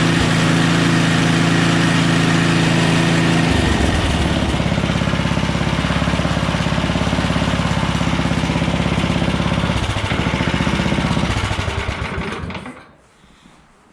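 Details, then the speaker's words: Small engine after carb cleaning, leak-down test showing about 10% loss; fires after one prime, runs steady at high revs, then drops to an even, lumpy idle before shutting off, no misses: normal running, healthy. "turn the gas on prime it like once this thing actually runs really good I'm surprised this"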